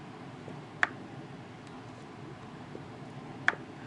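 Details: New 2015 MacBook Pro lightly tilted side to side: two sharp isolated ticks in quiet room as something slides inside; loose internal part rattle.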